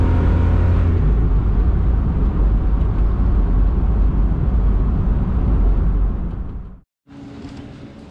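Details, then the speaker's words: 1999 Isuzu VehiCROSS, warmed up, full-throttle pulls from 40 to 60: engine drones unevenly, stumbling and missing under load; hesitation and bucking at wide open throttle, cause not yet found; coil packs and plugs to be checked next. "we can do a couple full pull runs and you guys can hear it Miss or uh see the attack move"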